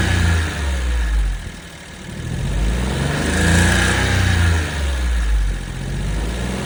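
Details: Suzuki Jimny JB64 engine revving up and down with a low, uneven knock under the note that follows speed; abnormal internal noise, engine later replaced.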